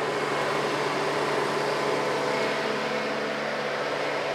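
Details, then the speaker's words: Chevrolet Tahoe after clutch fan deleted for electric fan conversion, fans commanded on via HP Tuners scanner at low then high speed: steady even rush of air with faint constant hum, no rattle or wobble; fans running normally. "so here we go this is gonna be low speed i hear the fans high speed so there we go"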